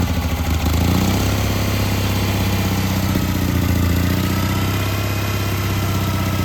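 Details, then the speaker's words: Old Onan generator on choke after a cold start at about 10–14°F, with a new carburetor and fuel pump; a steady, loud low-pitched idle holding even without stumbling; running cleanly. "you can hear the cold you can hear how cold it is it's cold today"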